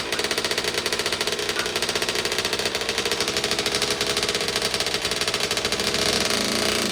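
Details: 2009 Kawasaki KX85 two-stroke after fresh fuel and new jets: fast crisp popping holding a raised idle that won't settle, still idling high. Owner suspects an air leak adding extra air and plans to go down another jet size.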